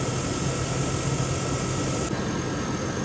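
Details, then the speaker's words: 2001 Chevy Silverado 5.3 after alternator replacement, with about 13.8 V measured at the battery. The idle is now a steady, even hum with no misses or surges. Owner suspects the earlier rough idle was from a very low battery. "now you can hear that the idle's doing a lot better maybe it was just the battery being so low"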